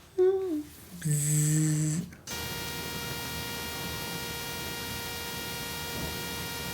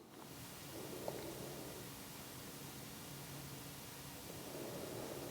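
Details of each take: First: Rode Wireless Go 2 recording into a Sony camera (a7S III, A1, FX3) picks up a steady, harsh fixed-pitch electrical buzz throughout. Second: Rode Wireless Go 2 receiver into a Sony camera through the cable that came with Sony WH-1000XM3 headphones: only soft even hiss and faint handling rustle, no buzzing, clean low noise floor.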